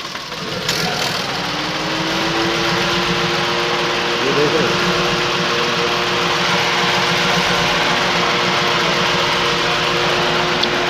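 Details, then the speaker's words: Datsun Go three-cylinder at idle with AC switched on: uneven, stumbling, shaking idle worsening under AC load, a dead-cylinder misfire. "Of कर दो एसी। कितनी बुरी तरह ये धड़धड़ा रहा है। अब हमें सबसे पहले ये ध्यान से देखना है कि ये कंफर्म करना है मिस फायरिंग हो कौन से सिलेंडर में हो रही है।"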